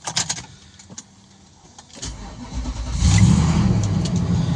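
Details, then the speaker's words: 2008 Infiniti QX56 5.6L after alternator replacement, dead battery, jump-started with jump box: about two seconds of slow, uneven cranking, then catches and settles to a steady low idle; normal start. "All right, we did get a successful start. Since battery is low, all kinds of weird electronic stuff goes on inside the Infiniti."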